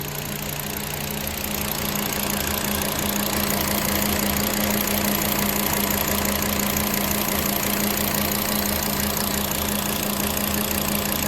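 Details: VW Passat/Jetta 2.5L petrol engine idling with an uneven loping beat, about three stumbles a second: cylinder misfire caused by a fuel injector o-ring not sealing properly.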